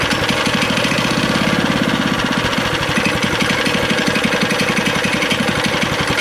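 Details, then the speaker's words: Neighborhood go-kart single-cylinder engine running after fuel was switched on and carb cleaner was sprayed in. It chugs at a steady fast idle that never picks up. The throttle is disconnected because a piece of linkage is missing. "Alright, well, it's running. Throttle's not working. What's going on here? Well, it's running, but the throttle's not working."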